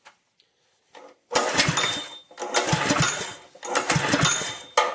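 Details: Honda-powered plate compactor, no-start diagnosis: three pull-start bursts, engine spins briefly and never catches; oil level good, spark test shows spark, fuel on and in tank, carburetor next to check.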